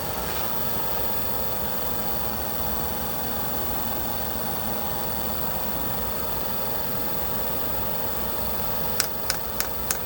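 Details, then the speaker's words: Diesel heater with error E-06 (fan not turning or no fan signal), left running: even fan whoosh with no combustion roar and a few sharp ticks near the end, just before it fires up on its own. "So, what it's doing or not doing is it can't detect that speed to say that the fan's actually running."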